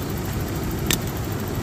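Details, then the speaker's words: 1994 Toyota pickup V6, idling after repairing a no-start caused by an internally burnt distributor, after sitting nearly 5 years: low, even idle hum with no misses or stumbles over the brief run; normal idle. "ahí tenemos el motorcito ya encendido"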